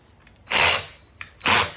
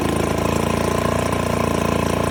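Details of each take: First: 1969 Johnson Sea Horse 1.5 hp outboard that had not run in years, spun over with the spark plug out: harsh gritty rasping bursts with a lot of resistance from the lower end. Crunchy grinding; sand in the lower end is suspected. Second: 1969 Johnson Sea Horse 1.5 hp two-stroke outboard, running for the first time in years after the choke cable was extended: steady fast even buzz throughout. Normal running.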